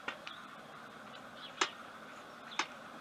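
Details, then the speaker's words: BSA A65 converted to 750: sharp metallic clicks as the throttle slides snap shut, with no click at full twistgrip, so the slides don't reach full open due to poor cable adjustment, causing lost power. "now we can hear the throttle slides clicking shut when i shut the throttle but there's no click to tell us that the throttle slides are topping out or hitting the tops of the carburetors when the throttle's open fully"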